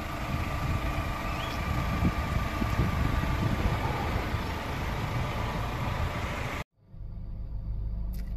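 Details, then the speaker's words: Holden Astra engine idling about 10 minutes after first start following many years of sitting; low, soft, quiet idle with no knocks or ticks, steady murmur; no warning lights; normal idle. "about 10 minutes prior to making this video and after sitting many years listen to the engine how quiet it is"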